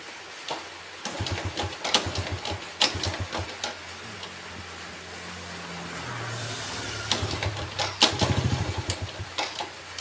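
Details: Yamaha Vega ZR motorcycle, repeated kick-start strokes give short chuffing bursts, catching briefly then dying; idles fine but stalls on throttle and is hard to start; carburetor checked, cause found to be weak ignition spark.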